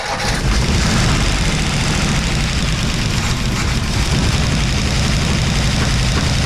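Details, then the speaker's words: Abandoned 1957 Ford Fairlane 500 with a 312 V8: a deep, lumpy, uneven lope under revving pulls, running on seven cylinders with one dead because a valve is stuck. "so we're going to see if his baby will run on seven and if it will we going to continue"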